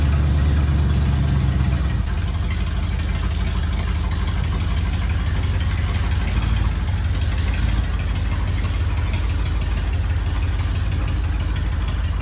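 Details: 1979 Ford F100 V8, sat ten years, idling after cleaned carburetor installed: deep, steady low rumble, no stumbling or misfires; normal idle.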